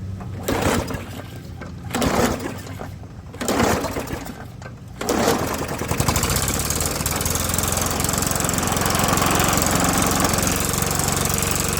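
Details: Old lawnmower running after new spark plug replaced a bent, shorted one: starts after a few pulls, harsh raspy blare from muffler wrecked for months over an otherwise smooth steady beat.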